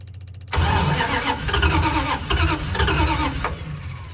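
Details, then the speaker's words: Kaiser M715 truck on a near-zero electrical setup with an electric fuel pump, unstarted for 2 to 3 months: starter turns slowly in uneven bursts on an almost-dead battery, then the engine catches and settles to a rough idle. "It's been several months, probably 2 or 3 since I started this old truck. That old battery's about dead."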